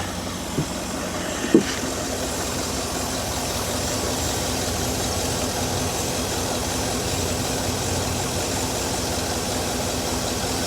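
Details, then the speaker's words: Cheap Cadillac Escalade V8 restarted while refilling coolant: even, steady idle with a smooth low rumble and no knocks or misses; runs well as it draws in coolant, though air pockets can make it run badly. "Doesn't it run great? It runs really well. Phenomenal."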